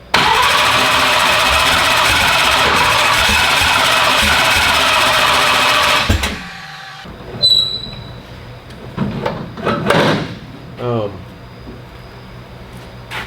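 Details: Car "Slick Rick" first fire-up attempts, after a fireball backfire: starter cranks steadily about six seconds without catching, then stops; failed start, cause unconfirmed.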